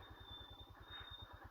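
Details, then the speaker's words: Royal Enfield Himalayan descending an off-road trail: thin, steady high-pitched squeal from the rear brake over the slow thumping engine. "I rely a lot on my rear brake which squeals as you can hear"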